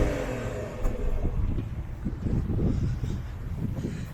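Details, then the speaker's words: BMW 760Li F02 M Sport with N74 V12, heard from the rear in comfort mode with exhaust flaps closed; deep, even note rising and falling smoothly with revs, slight pops, no misses or knocks; normal healthy revving. "so look this is what it sounds like in comfort where the flaps are closed inside it pops a little bit and let's try it in sport"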